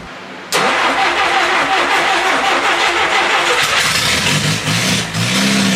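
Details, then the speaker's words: 1957 Willys Forward Control FC-150 four-cylinder after rebuild work: starter catches quickly, engine fires and settles into a steady even idle with a brief blip; running functioning motor, with a hole in the exhaust noted. "And there you have it. We have a running functioning motor."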